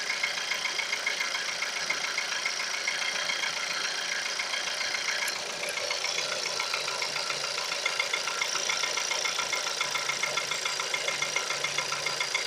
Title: Стук на холодную